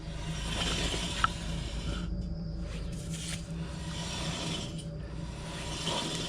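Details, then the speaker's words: Rear car wheel spun by hand: an uneven scrape and grind from brakes binding with rust, then a loose click and rattle inside the hub as it stops. It is the same noise as the driver's front wheel. "you can add the first bit which is they break binding because the rust on them but then at the end when it stops your hearing"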